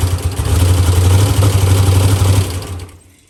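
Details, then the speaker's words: Ford Mustang with LS swap and new TKM engine, Holley intake, forced induction, first fire-up after build, tune still in progress: heavy, lopey low V8 burble, fairly even for about 2.5 seconds before shutting off; running normally. "New TKM power plant is fired up and ready to go. Sounds awesome."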